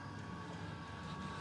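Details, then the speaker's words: Custom Webasto water heater and Chinese diesel heater hybrid, after about 5–7 minutes on heat setting 4 (radiator 56°), about to be turned up to max; steady low roar with thin constant tone, no stutter or surging; normal running. "now we're using the diesel heater let's turn it up to Max and leave it five more minutes"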